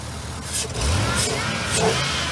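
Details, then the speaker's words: 1967 Pontiac Parisienne V8, after confirming ~58 psi fuel pressure, spark and compression; blips up smoothly and holds a strong, even note at higher revs, no misfire or rattle. Running much better, though cylinder 6 misfire suspected. "we got this thing purring a lot better."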